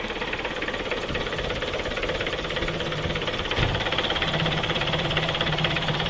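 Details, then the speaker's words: Mitsubishi Kuda diesel, cold engine before engine overhaul, already smoking: clattering idle with an uneven, loose knock about twice a second and vibration, not harsh; sounds tired and worn, rough worn idle, engine judged to need overhaul. "Untuk suaranya bagaimana mesin ini ya? Bisa didengarkan dulu. Karena menurut saya suaranya tidak kasar, tidak kelak-klak, cuma getar-getar"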